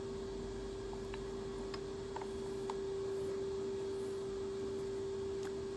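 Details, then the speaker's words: 1940s 14-1/2" South Bend lathe drilling with a 5/16 bit and Anchorlube: sharp, steady high squeal over a dull machine rumble as the bit rubs instead of cutting; dull bit or work-hardened material suspected. "I'm sure you heard that squeal. That is either a dull bit or a work hardened piece of material."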